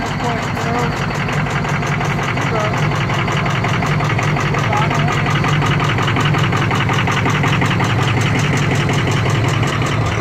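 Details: 2003 Ford F250 6.0 Powerstroke diesel at idle with harsh, uneven clatter and irregular knocking pulses nearly three a second; rough running from bad injectors.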